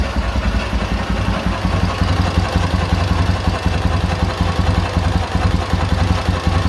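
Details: K-750 motorcycle boxer twin after replacing the timing gears (four crankshaft gears), ignition fed direct to the coil: steady, even, low putter at idle with no knocking or clatter. The previous idle knock is gone.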